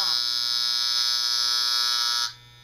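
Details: Andis Master magnetic-armature clipper after the armature screw is turned clockwise until quiet: steady high buzz with no clatter, even until switch-off. The clipper is properly adjusted and running normally.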